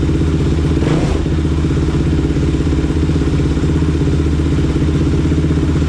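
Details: Rebuilt Kawasaki KFX 450R single-cylinder thumping steadily at constant speed with no knocks or rattles; pipe got hot quickly, slight antifreeze leak, no oil leaks seen. Healthy after rebuild.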